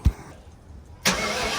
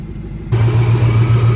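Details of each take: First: Supercharged engine after rework of the supercharger side, with a leaking rear main seal: cranks and settles into a fast idle with a thin steady whistle and no longer the earlier loud ticking; the remaining exhaust leak. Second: Supercharged engine build after an exhaust leak repair, running stock injectors that the owner suspects are starving it of fuel: it catches and settles into a steady, low, even hum, quieter, with the earlier thump no longer heard.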